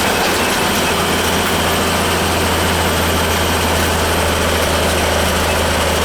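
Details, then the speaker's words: Goodman gas furnace not heating the house: inducer fan gives a steady, even whir with a low hum, no rattle or scraping. The fan runs normally and kicks on once the flame ignites. "the fan seems to be running okay yeah the fan will kick on once the flame ignites you know"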